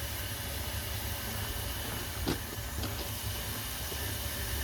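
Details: Marine steam engine, first start attempt on steam, known head leaks, flange bolts missing: steady hiss under low rumble with faint clicks; steam leaking out of the exhaust flange bolt holes, bolts to be fitted.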